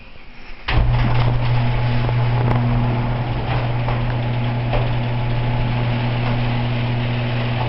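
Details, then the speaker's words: Garage door opener run from the small wall button; steady low motor hum with loose irregular clicks and rattles as the door travels, the noise coming from the door, not the opener: garage door rattle. "laughs that noise is the door not the opener"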